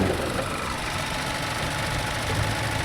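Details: 2017 Hyundai Tucson GDI with 117,000 miles, oil blowback and oil splattered on the top cover: idle with a busy, faint ticking clatter over the steady hum. Less noisy than others, but the top end is still noisy and a motor problem is suspected.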